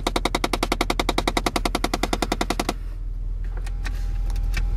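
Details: 2006 Chevy Impala LT with about 160,000 miles, started by remote start: rapid, even clacking about 3.5 per second from the dashboard, not the engine, then it suddenly stops. The HVAC air door actuator is knocking; disconnecting its wire stopped the noise.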